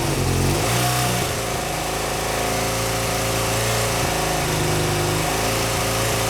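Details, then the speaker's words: BMW R100GS Paris Dakar on its first start after engine reassembly: the twin revs then settles into an uneven, lumpy, wandering idle. Carb tuning and unsynchronized carbs are suspected. "i think a lot of that's just carb tuning and the fact that i think our carbs are way out of sync because i've done absolutely nothing to make sure that they're at all synchronized"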